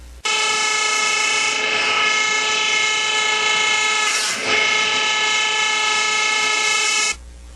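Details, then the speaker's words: Whirlpool dryer running with a loud, harsh, steady buzzing drone; the blower housing is checked for a foreign object caught inside it. "Let me show you how to check the blower housing when the dryer is making a noise like this."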